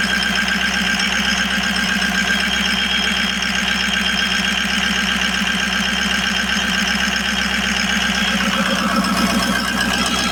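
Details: Ford E350 van 6.0 Powerstroke diesel after replacing all eight injectors for a cylinder 7 misfire: even, steady idle with usual light injector clatter, no stumble or skipped beat; all eight cylinders firing cleanly.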